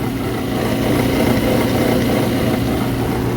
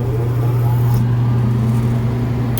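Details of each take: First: Exhaust fan motor, bearings suspected going bad; greasing quieted it briefly before the noise returned: steady loud fan roar with a rough, gritty low drone, sounds like a dry motor bearing; motor to be replaced preemptively. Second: Exhaust fan after replacing its motor (old bearings going bad), drawing 8.5 A; steady even low hum, whisper-quiet, no knocks or squeals: normal fan operation.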